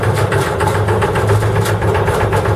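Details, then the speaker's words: Dutch barge diesel, revved up after air start, charging the start-air cylinder to 12 bar: steady even thumping beat with a light rhythmic drive-belt rustle, which is expected; normal running with belt noise. "Alors, le bruit qu'on entend, c'est la courroie qu'on entend qui fait pas de Là, on est à 12 bars, on est bien."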